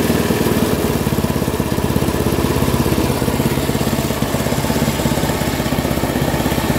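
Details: Free Craftsman 10/30 snowblower, 10 hp Tecumseh engine, being scrapped: even steady single-cylinder putter, no misses or hunting; starts easily and runs healthy.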